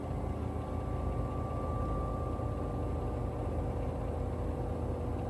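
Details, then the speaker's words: LG 10.5 kg washing machine on its test spin cycle after a glue repair of the shock absorbers that fixed about two years of knocking: a steady, even hum and mid-pitch whir with no knocking, much quieter; the unscrewed lid rattles slightly. "It sounds so much better. It sounds so much smoother. It is definitely much more quieter. It's a whisper quieter."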